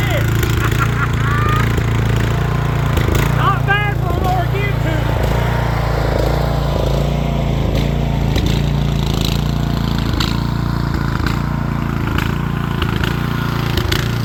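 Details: Rear-engine Snapper mower, stored over 10 years, running after a replacement carburetor: single-cylinder engine holds a steady, even beat at constant speed with no misses or knocks; healthy.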